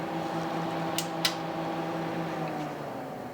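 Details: TDI Dynaload 100-300-2000 (RBL488) 2 kW electronic load after teardown, cleaning and maintenance: steady low fan hum that eases off as the supply is switched off, with a couple of switch clicks while fault lights flash; fan normal.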